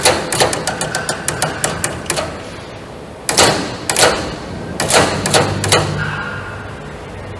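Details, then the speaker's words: Heating-system radiator valve fitted against its arrow so flow runs the wrong direction: sharp hammer-like knocks in quick bursts then pauses as the valve cone vibrates; fix is re-installing the valve with the arrow matching flow direction. "okay so you saw many of different bulbs may have such kind of banging or knocking noise in a system why this happens this happens because of only one reason a flow goes on a wrong direction"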